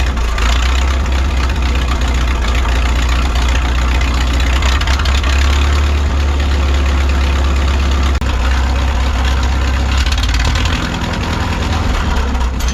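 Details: 1951 Farmall M tractor after filing and installing good ignition points: deep idle that stumbles and sputters unevenly, same as before; owner suspects the carburetor, cause unconfirmed.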